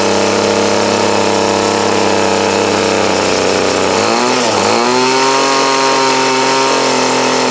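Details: 2008 Troy Bilt TB20CS 31cc two-stroke trimmer after new fuel lines, fuel filter and primer and a carb adjustment to remove a dead spot: a steady high buzz with a brief dip and recovery, then a clean even note; runs well.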